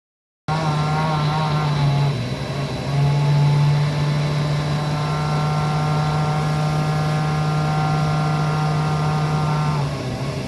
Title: Webasto macht Geräusche / strange noises